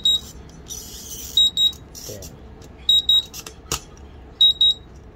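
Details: Smart battery charger with lights, beeper, battery monitor and cable temperature sensor: high double beeps about every 1.5 s after charging cut out from overheating and the emergency stop was pressed; latched alarm blocks starting until the button is released.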